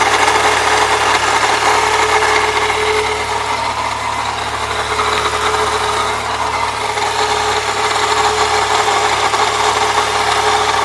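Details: 1998 Saturn SL2 DOHC at idle: constant gritty grind with a hiss in the belt drive; idler and tensioner pulleys replaced without change, noise seems to vanish with the belt off, not worse with A/C on.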